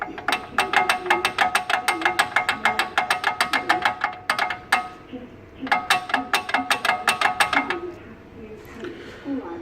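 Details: 2010 Mercedes E350 wheel rattle: sharp, uneven metallic clatter in quick bursts, about three per second, then pauses; a loose brake pad rattling in the caliper, found after replacing hub, tires and rod ends didn't fix it.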